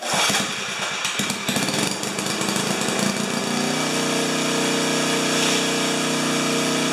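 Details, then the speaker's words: 4HP horizontal Briggs & Stratton, carburetor leaks now acceptable, about half throttle: it clatters, then settles into a smooth steady buzz with no surging or missing. Coughs slightly, then takes off when throttled up; mixture near right; normal running. "what i like about it is that when i throttle it back up from low rpm to high rpm it just coughs a tiny bit and then it takes off so that tells me that my mixture sitting is within a hair of uh of being good"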